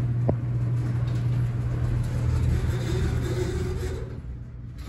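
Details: Horizon hydraulic elevator at Rye City Hall, installed 1964: loud low droning hum with uneven rumbling and shaking throughout the travel, easing at the end; a noisy, rough ride, cause not known.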